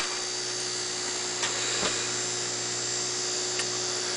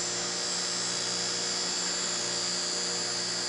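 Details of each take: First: Fischertechnik DC motor driven by a Raspberry Pi 1 Model B+ through a transistor with PWM: thin high-pitched whine with slight wavering and clicks; supply not stable, with the LED off, so the motor is starved. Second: Small fischertechnik DC motor driven by a Raspberry Pi through a transistor with PWM: a steady high whine over a low electrical hum, running smoothly with no grinding or stutter.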